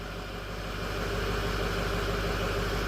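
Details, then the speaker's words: 2006 Ford 6.0L Powerstroke, 139,000 miles, after fixing crank no start: steady even diesel idle, smooth low rumble, no misses or knocks; may run rough briefly while oil bleeds out. "so there we go we got this thing running it's looking good"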